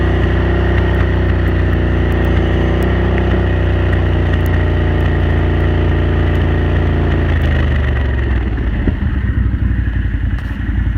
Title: Renegade 1000 pop, misfire at cruise